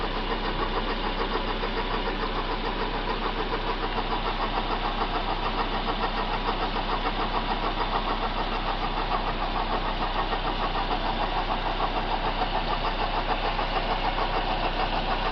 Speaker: this is a 2006 Suzuki Aereo a water pumps making a racket on it and it's going to need replace